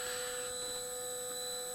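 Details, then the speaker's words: Snapmaker 2.0 A350 axis homing with PSU fan disconnected: quiet, steady motor hum with faint high singing tones and one brief tick, no grinding; normal, quiet homing, axes measured about 32-44 dB. "I think I'll just do a home again now you get us feel for it so I just continue talking you can sort of see it it's not it's not loud at all"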